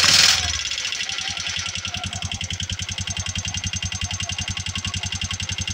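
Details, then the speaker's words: Bajaj RE three-wheeler; fast steady metallic clatter from the cylinder head over the idle beat, from excessive valve clearance needing adjustment. "kapagka ganito na yung problema ng unit niyo yung medyo may kalansing na o parang may latlat na sa loob Syempre una nating iche-check diyan ay yung valve clearance niya"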